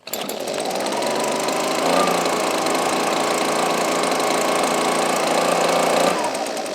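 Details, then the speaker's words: Husqvarna 125B two-stroke leaf blower with the new ignition coil fitted and tube back on, outdoors at half choke: it fires and holds a steady high buzz without stumbling. Only the coil was needed; the owner suspects the original coil was bad from the factory. "choke not bad all it needed was a new coil that's un fortunate it really is because this thing's brand new"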